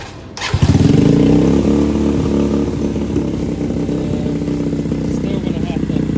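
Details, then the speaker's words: Boom Vader Grom clone small single with new Mikuni knockoff carb and intake line blocked off; idle had been set at 2,000 RPM but now sits too high, settling slightly as it warms. Fast, busy idle; carb needs further tuning. "I don't like the way that it high up on the RPM right there. I had it at 2,000."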